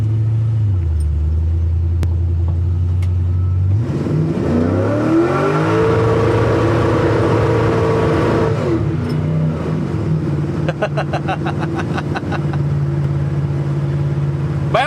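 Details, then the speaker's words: LS1 V8 after a camshaft swap, restarted the next day from cold, revs up and bounces off the rev limiter with a choppy stuttering cut-out. The shift table needs dialing in, and the gauges showed the tach limiter. "off the rev limiter again we're going to have to dial in that shift table that's pretty fun"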